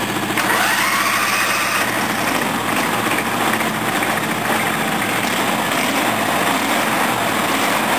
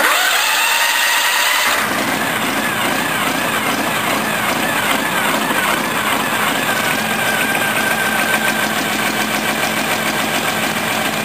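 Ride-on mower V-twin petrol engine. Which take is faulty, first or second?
second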